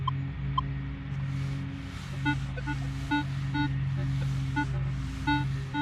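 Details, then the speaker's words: Minelab Equinox 800 metal detector in multi-frequency mode after ground balance over clean ground: constant crackly chatter with bursts of short high chirps over a low hum, much noisier than 10 kHz mode; owner wonders if the unit is faulty. "Now, I realize multi is just reporting more for us out of the ground, but Jesus. I mean, who can take... Who could take that?"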